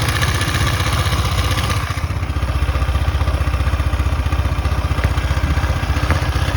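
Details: KTM Duke 250 at 12,000 km, idling: a fast, fairly regular light clatter of about four beats a second over a low thrum. Owner asks whether it is normal; cause unclear.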